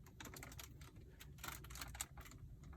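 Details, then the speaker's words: 2019 Mercedes-AMG C63 S Coupe, 6,000 miles, built in Bremen: quick dry crackling and crinkling each time an interior trim panel is pressed, like chip bags behind the panel; cause unknown. "just sounds like there's like dorito bags in the back of this panel i'm not sure why that's a thing but that's a thing"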